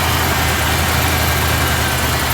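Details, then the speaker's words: 1979 Ford F-100 Ranger with a carbureted 302 V8, just after fitting the correct replacement part: a steady, even low idle rumble with no stumbles or knocks, a little smoother than before. Normal idle after the fix. "yeah she fired up that time so hoping that was it finally got the right one in there it was like five bucks so um a little bit smoother"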